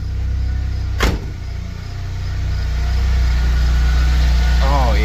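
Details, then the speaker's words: 1997 Nissan 200SX (B14) that sat about 10 years, after replacing the fuel pump: brief sharp noise then a smooth, even idle with no misses or knocks; running healthy. "dude oh it sounds so nice too all right I'm going to shut it down but hell yeah it [Music] runs"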